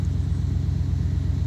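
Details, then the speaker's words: Chevrolet S10 pickup restarted after being backed out of the garage: deep rumbling idle with an even, rapid low thumping underneath; owner suspects a rod knock, not confirmed. "It does not sound good at all. I think I got a rod knock."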